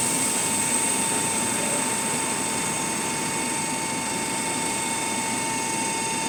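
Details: 2010–2012 GAL WS6 bus with Voith gearbox and Cummins ISBe 4.5 L four-cylinder: faint steady high whine in gear 1 at low speed, stopping in neutral; cause unknown.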